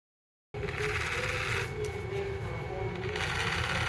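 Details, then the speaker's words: Sony MZ-E900 portable MiniDisc player (late 2001) failing to read discs: gritty, rasping sand-like grind with a faint whine as the sled moves and the disc spins; suspected noisy sled motor, later cleaned and lubricated. "I think it's the sled motor since I'm hearing the sound as the sled moves to try and read the mini disc. It's not supposed to sound like that, so I plan to open it up and lube what I can."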